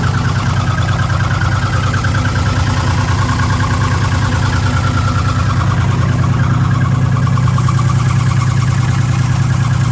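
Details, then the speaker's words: 2006 Ford F150 5.4L V8 with code P0016, bank 1, warranty inspection at idle: steady fast ticking about three per second over a smooth idle, suspected valve train noise up top around cylinders 2 and 3. Not confirmed. "In the valve train up top. And somewhere in this area, so 2 and 3. That's just, I mean, that's about where the noise is comi"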